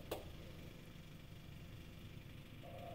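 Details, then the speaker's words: 2018 John Deere 3038E diesel tractor after fixing crank-no-start code ECU A 523249.05 (crank or camshaft position sensor not read) by cleaning the sensor and rewiring replaced key switch: low, even idle, no misses or hunting, no codes. "No check engine codes at all. Everything's running good. Tractor arrives up fine."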